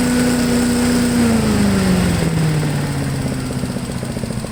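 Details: MTD push blower with Honda 5HP engine, sat over two years, fresh gas: engine winds down smoothly from high speed into an even steady chuff about three and a half beats a second; idles well. Normal idle.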